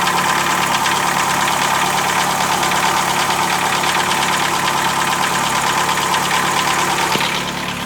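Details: 2007 Chevrolet Celta, Flex Power engine, at idle with a fast, uneven ticking of about three per second over the engine hum; abnormal noise, cause unknown, owner asking what it could be.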